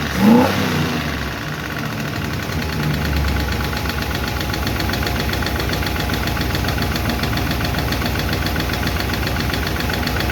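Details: 1951 Chevy engine starting quickly after first fire-up and valve adjustment, then steady idle with light fast clickety tick; number 4 intake and number 2 exhaust still noisy; valve lifter tick, owner plans to tweak those two.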